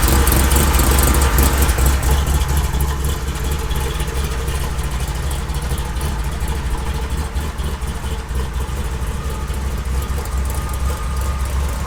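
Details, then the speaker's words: 1972 Chevy K20 on 38s with 6-inch lift, built 510 big-block V8 in the truck about 11 years: deep, loping, hard-chopping idle with an uneven lumpy beat, about two pulses a second; a normal cammed idle. "this thing sounds mean it chops really hard it's a 5-10 big-block it's pretty much a built motor"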